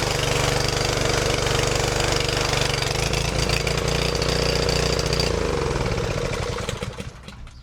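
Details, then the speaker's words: Craftsman 2800 PSI pressure washer, Briggs & Stratton 163cc, running after carburetor work and throttle linkage readjusted; steady even pace with rough busy exhaust note, then dies away at the end; normal running. "Thanks for joining me on this episode of Probably Fixed It. We got this thing up and running again."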